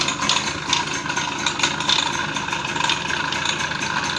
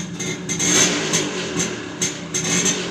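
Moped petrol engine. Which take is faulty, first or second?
first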